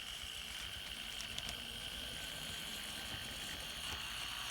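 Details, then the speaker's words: N scale Atlas SD35 Penn Central locomotive on track, possibly never run before: thin high-pitched motor whine with uneven scraping and ticks, rough and strained, stalls; something binding or out of place in the drive, suspected, not confirmed. "So let's put it on the track and let's see how it runs. Oh, we got some trouble. That doesn't sound right at all."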